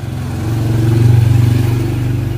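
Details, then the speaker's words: Yamaha Aerox scooter idling with MIL light on: low pulsing note that swells and sags instead of holding steady, smoother when throttled; unstable idle blamed on faulty, dirty or disconnected engine temperature sensor near radiator. "Dengan kondisi lampu mil menyala, ini motor berbet. Jadi tidak bisa tensioner, nunggunya lama. Kita coba aja. Kita starter. Seperti itu, dia berbet."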